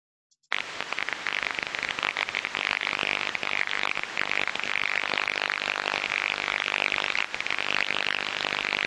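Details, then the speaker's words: Airborne ultrasound recording during a medium-voltage inspection (1 kV–60 kV): steady, uniform repetitive hissing crackle, low-level corona discharge pinpointed to the edge of an insulator. "so I hope you've all heard that clearly what we can hear there is repetitive crackling sounds"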